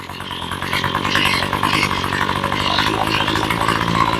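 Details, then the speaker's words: Ryobi ES30 two-stroke trimmer after carb rebuild and new fuel lines, low screw backed out a quarter turn: fairly steady buzzing idle, slight waver, no stalling or bogging. "okay she runs with the choke but not without so we're going to do is go on the low screw and back her out about a quarter turn we got lucky that time first shot sounds pretty good"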